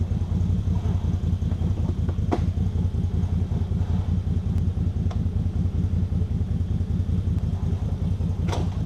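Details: ATV winch with a shop-replaced cable that wouldn't pay out properly, paying out: a steady low droning hum with a fast, uneven chatter under it, rough-sounding. Abnormal noise; the owner suspects something busted, cause unconfirmed.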